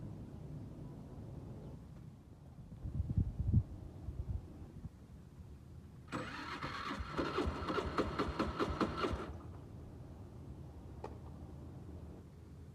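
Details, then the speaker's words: New Suzuki scooter: electric starter spins slowly and unevenly for about three seconds and never catches; compression checked good; weak battery suspected, and it started on the kickstarter. Slow cranking, no start. "like the scooty wants to start but the battery seems to be weak though as you can hear"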